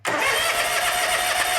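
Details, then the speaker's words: John Deere X300 twin-cylinder lawn tractor with good compression, cranking with choke on, off and at half throttle: steady, even starter spin, never fires. Crank-no-start, cause not yet found. "Let me just show you that it does crank, but it does not start."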